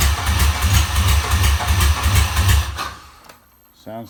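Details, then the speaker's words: Junkyard GM 5.3 V8 for a 1955 Buick Special swap, first start after sitting, fuel lines rotted: runs lumpy and uneven, surging under three seconds then dies; misfire, sticky injectors suspected, maybe only three working. "sounds like only maybe three injectors are working right now so i think i'm gonna have to uh pull the rails"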